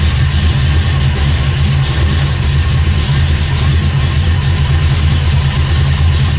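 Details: 1979 AMC Spirit AMX, carbureted AMC 304 V8 rebuilt about 20,000 miles ago, after a Carb Cheater install: steady, loud low-pitched idle with an even beat, no stumbles, rattles or hunting. Idling properly.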